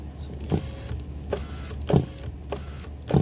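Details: VW Mk6 Jetta rear right door, window rattling over bumps when rolled down; irregular hollow clunks and clicks from inside door; loose 10 mm window regulator bolt, fixed by tightening.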